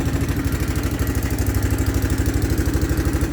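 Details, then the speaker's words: 1984 Honda Big Red ATC three-wheeler, clean original condition, dead battery so not charging: quick, even single-cylinder putter about three beats a second, no knocks or misses; normal healthy idle. "Oh, listen to that purr. Like a 30-some-year-old Japanese sewing machine."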